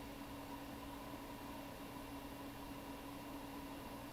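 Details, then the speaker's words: Mid-2012 13-inch MacBook Air A1466 on a replacement board: steady rushing hiss with faint constant hum, fan stuck at full speed; owner suspects a trackpad issue, later traced to the heat-pipe sensors on the DC-in board. "this thing should run really good well you can hear the fan spinning at full throttle so there's probably a track pad issue or something that's causing it to run slow"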